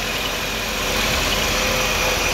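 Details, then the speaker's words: Truck idling in a shop with the breather top lid off: steady, even, quiet idle with a soft hissing rush of air at the intake; smooth and healthy. "can hear that breathing because I've got the breather top lid off. But it's so quiet, it sounds so good."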